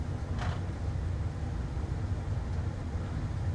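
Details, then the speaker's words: Samsung dryer after repair of a humming, drum-not-turning fault, door switch taped shut: steady, even low rumble of the drum turning smoothly with no squeal, thump or grinding. "I've already got it on Ah that's what it's supposed to sound like"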